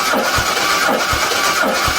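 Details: 1976 Jaguar XJ6 Series 2 cranking during compression test, readings roughly 100–127 psi, number four lower, overall fairly consistent. Slow, even cranking with a low thump about every three-quarters of a second and no misses; steady.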